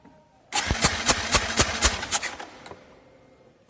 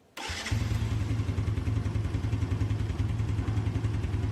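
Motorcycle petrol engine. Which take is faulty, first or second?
second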